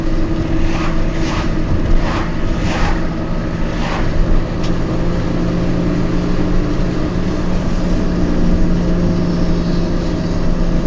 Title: Noisy bad wheel bearings in my Peugeot 206